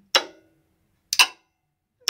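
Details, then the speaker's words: Renault Clio 3 1.5 dCi, engine off, A/C compressor clutch energized via a test circuit with 10 A fuse: three sharp metallic clacks, normal clutch engagement; refrigerant circuit found empty. "J'appuie là, on entend le clic plutôt le claque de l'embrayage du compresseur ici là."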